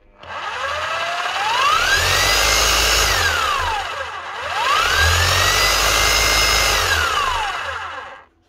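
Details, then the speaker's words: 2008 Bosch GBH 5-40 DE rotary hammer after a full seal and O-ring service to fix lost hammer action and a mode switch stuck in rotary. Steady high whine winding down twice, no grinding or rattle; hammer-only mode now works. "that's her she's locking on on the hammer position she should be switching off and rotation"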